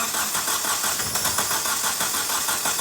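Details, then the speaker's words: 2009 Hyundai i30, hard starting when cold since a head gasket replacement, cranked with the camshaft sensor removed: lopsided cranking rhythm, some strokes labouring harder, sounding like a miss; a relative compression check with an amp clamp showed low compression. "so this one sounds like it's got a miss so we quickly grabbed the scope and we just did a relative compression check"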